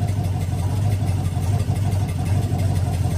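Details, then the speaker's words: LM7 5.3L LS, first fire-up after head swap to 706 heads, Brawler 650 CFM carb, Holley single-plane intake, MSD 6014 ignition: rapid ragged popping over low rumble, exhaust leaking because only two bolts hold each manifold; otherwise runs good. "I've only got two two bolts holding the manifolds on so you can hear the popping from the leaks but it runs sounds good"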